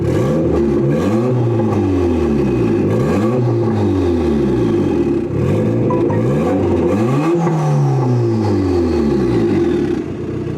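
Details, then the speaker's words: Budget eBay turbo Honda Integra (head gasket trouble noted) after a fix: RPMs had been hanging because the throttle cable was out of its holder and binding. Repeated rev blips now climb cleanly and drop straight back to idle, revving freely. "but now it's revving freely and coming back"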